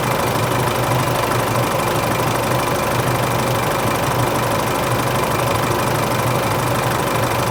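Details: Isuzu Euro 4 diesel at idle on its first start after replacing the A/C compressor and alternator belt tensioner pulleys and both belts, which had squealed slack on the first start of the day; even diesel clatter, belts quiet, no squeal.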